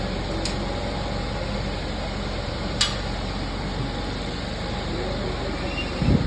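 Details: 2015 Kia Soul that came in with a cylinder 2 misfire and low oil pressure, after the bad rod bearing was replaced: smooth, even idle with a steady low rumble, no knocking or stumbling. Engine running healthy.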